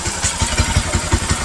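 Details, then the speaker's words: Bajaj Pulsar NS200 after repair, including new gaskets for a coolant leak into the exhaust; even regular low thumps about six a second with no more metallic noise, a steady, healthy idle. "el motor está completamente en silencio ya no tiene ese sonido rarísimo ese sonido ese sonido metálico que tenía y ustedes pueden escuchar la moto se mantiene prendida perfectamente"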